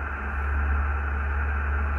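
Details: HF receiver tuned to 28.400 MHz while driving past neighborhood power poles after a cold snap: steady harsh buzz with strong low hum, cut off above the radio's audio band; power line interference, owner suspects cold-loosened hardware, source pole unconfirmed.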